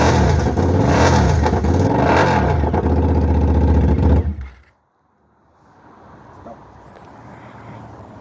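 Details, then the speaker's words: TL1000 motorcycle engine, donor for a 1968 Fiat 500, stored 14 years as a non-runner: twin revs with a strong even beat, rising and falling cleanly for a few seconds; fired up lovely, engine healthy. "But I think you can tell from that it fired up lovely."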